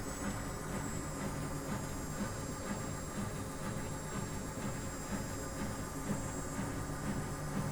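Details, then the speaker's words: Miele washing machine during a 95° citric-acid drum cleaning: steady even drum spin with a soft swish about twice a second, no bearing rumble or grinding; normal spin. "on entend mieux la pompe qui qui gère mieux il y a aucun bruit de roulement à rien du tout elle est neuve"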